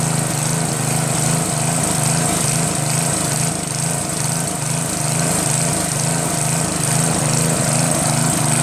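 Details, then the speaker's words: Northern Hydraulics pressure washer with a Briggs 3.5 hp engine, unused for 8 years, no primer, started with starter fluid, wand tip clog cleared: steady, even single-cylinder putter with no misses or knock; it now runs properly. "so now it's working their mic starts up great I think when you want to start it up in the beginning since there's no primer that kind of starts up good"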